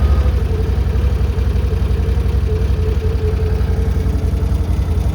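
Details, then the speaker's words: 2021 Can-Am Outlander 850 XT with a used ECU and a fan that had not kicked on. Plugged in and reading 208, it gives a steady, even idle with a constant airy cooling-fan whoosh and no rattles: the radiator fan now runs normally. "yep I hear it running"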